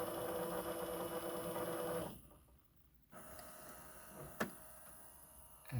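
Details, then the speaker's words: Sony DVP-CX985V Disc Explorer 400 DVD/CD changer after belt replacement: light, even whir from the rear carousel drive motor, no slipping or chatter; belt drive now running normally. "I can turn it on there it is that's the back motor over there"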